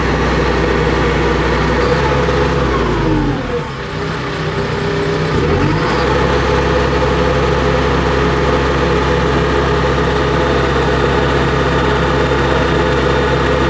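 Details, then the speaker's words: Caterpillar D3K2 dozer after repair for rough running, power loss, RPM fluctuation and white smoke: steady, deep diesel drone with one brief dip and recovery, then even settled run. "just ran it in the pile there for playing around for 15-20 minutes. No issues, and no codes."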